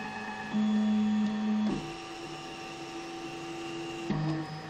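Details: Zortrax M200 3D printer, one month old, cold: stepped motor tones with a faint scratchy hiss from the Z axis, louder since firmware v0.0.7, disappearing once warm; cause unknown.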